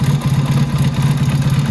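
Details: Motorcycle carburetor being tuned with a Colortune plug. Idle mixture screw turned out to roughly 4–4.5 turns; the flame is no longer blue. Low, lumpy, wet-sounding idle thumping about fourteen times a second, slightly uneven. Rich idle mixture.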